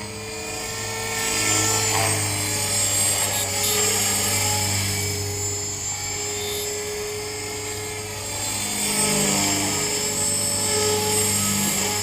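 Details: Trex 450 helicopter in flight with Common-Sense RC TR450-35 3500kv motor, 13t pinion, after a crash: high thin squeal over rotor and motor whine, rising and falling with throttle, from a bad main shaft bearing.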